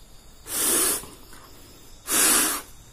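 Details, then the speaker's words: Yamaha RX-King two-stroke reed valve, removed, blown through by mouth softly and hard: two short breathy hisses with no reed buzz or trumpet note; petals not sealing, leaking reed valve. "Ya, saya sudah meniupnya, tetapi tidak mengeluarkan suara terompet. Jadi, seharusnya bunyinya seperti terompet. Oke. Di sini sama sekali tidak terdengar."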